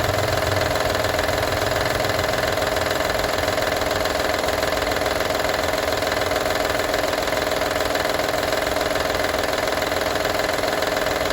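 Steady idle carries a light, fairly regular metallic rattle about twice a second; something is loose or worn, source not yet pinned down.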